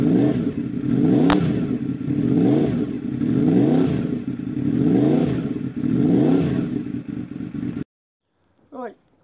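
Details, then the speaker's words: Honda RC24 after big bang firing order conversion: lumpy warble swelling and fading about every 1.5 seconds over idle; around 4,500 rpm it warbles, above about 7,000 rpm it pulls much weaker than normal. "about 45,000 our PMS got that that really funny little warble was actually quite light but when you get to about 7000 rpm nothing happens it it takes off but nowhere near as rapper deserves I see 24 will normally"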